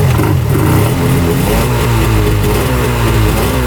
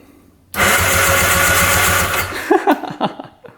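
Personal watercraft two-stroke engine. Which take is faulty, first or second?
second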